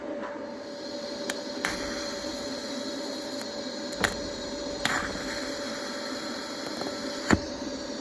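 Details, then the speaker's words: Cast iron block plane TIG-welded with Easy Weld no-preheat filler, scratch-start TIG: quiet hum with sharp irregular ticks every few seconds as the metal cools; cracked again, with the crack possibly visible through the weld. "Yep, there's that ticking again. So I'm sure that's just cracked again."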